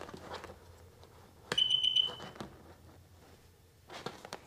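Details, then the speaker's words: 2004 Sea-Doo XP DI watercraft, electrical no-start fault, after wiring in a new tether: three short high electronic beeps then nothing energizes; no change, so tether ruled out; low voltage (8 V) at computer suspected, unconfirmed. "Triple beep. No change. Performs exactly the same."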